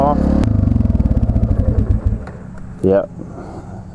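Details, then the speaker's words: 1999 Yamaha TTR 250 single-cylinder, carburettor: idle beats slow and stumble for two seconds, then it dies; owner suspects throttle return not holding it open enough; stalling at idle from idle speed set too low. "you think like oh it has a chance but then then it just keeps dying yeah here's tubby you can hear it wants to die I don't know what is wrong with the maybe my tunings off maybe my auto returns off"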